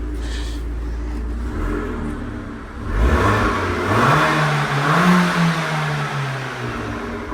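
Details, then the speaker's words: Crash-damaged Italian sports car from salvage auction, low on fuel with a warning light on: smooth idle, then a quick rev that rises cleanly, holds and drops back with no knocks or rattles, a healthy engine. "it actually sounds quite nice probably can't hear it very well on the camera but it does actually sound quite [Music] nice"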